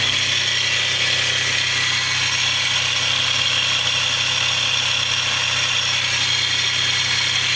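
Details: Mitsubishi 3000GT / Stealth twin turbo at idle, camera panned underneath: constant thin high-pitched whine and hiss that doesn't pulse with the engine, apparently from one side of the motor; source unidentified, distinct from the lifter tick at start-up.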